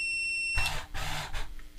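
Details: Zombie riser Halloween prop: a steady high electronic beep holds for about half a second, then cuts off, covered by gear clunks; the continuity tester shows the upper limit switch is closed with the zombie all the way up.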